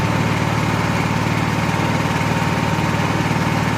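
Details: Honda EXW171S gas welder/generator after fuel system restoration; ran a little weird earlier, owner thinks due to choke. Steady, even beat at constant speed without misses or knocks; a healthy run.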